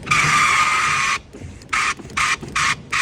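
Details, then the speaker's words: 2021 Kia Forte driver-side rear power window: loud high-pitched screech when rolling up, silent going down; a loose flap of material inside the door pointing down rubs the glass; tucking it back up stops the noise. "don't make any noise going down but it does coming up and I see right down in here this little flap of material is pointing down I think if I can get that up it will not be making that noise anymore"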